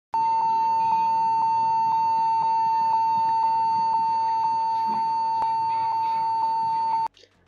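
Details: PC or laptop at power-up: a single high, steady beep drones without a break for about seven seconds. Continuous startup beep, cause unknown.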